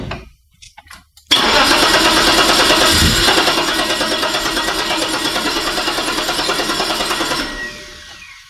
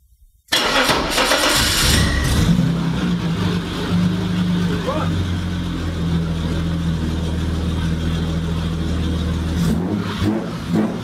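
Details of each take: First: 1987 BMW 730i E32 before the sensor swap: cranks, then catches with a harsh raspy roar and a slightly uneven beat near three per second before shutting off; rough warm start, impulse sensor suspected, not confirmed. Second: 1987 BMW 730i E32, which had a warm/rough-start issue, after replacing the impulse sensor. Short crank, then it catches cleanly and settles straight into a steady, even idle: starts properly now.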